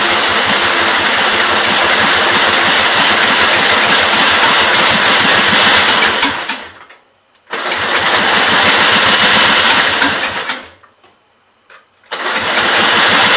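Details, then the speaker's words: 1944 L set above idle, cranked on electric start cart: ragged, loud running that cuts out twice and picks up, popping back through the intake; owner suspects lean mixture, and something, oil or water, pumping up. "Back through the intake there, so I was a little bit scared to give her any carb cleaner, but it could have popped back just because it was lean."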